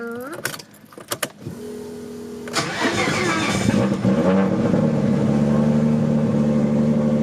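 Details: R32 Skyline GTR RB26 after installing a new R35 coil ignition harness: a few cranking bursts, primes, then catches and settles to a steady, even idle with smooth exhaust note; normal start.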